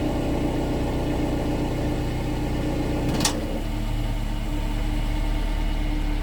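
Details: 2016 Subaru Outback four-cylinder, about 80,000 miles, warmed up at low idle in drive/reverse, phone under car near rear driver side: faint metallic buzzing rattle from the muffler; heat shields ruled out, loose baffle rattling inside muffler, axle-back replacement planned.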